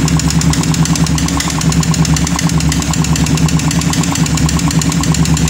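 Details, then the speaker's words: Motorcycle with smoking exhaust and radiator losing coolant: harsh rough running with hard knock about three times a second from engine; rough ticking noise likely from worn piston or bearings; connecting rod checked and fine. "i suara kasar suara kemelitik tersebut kemungkinan berasal dari ini Pak dari piston yang sudah penampakannya seperti ini ataupun buringnya seperti ini tapi kok sangat kasar sekali ya suara piston seperti tadi"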